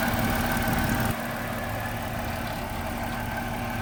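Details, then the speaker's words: Dodge Charger with 255,000 miles: the engine settles into an even, steady idle with a low, smooth hum and no knocks or misses; it runs smooth and sounds healthy. ">> Looks super clean. Sounds good. >> Sounds good. It runs smooth. >> Runs really smooth."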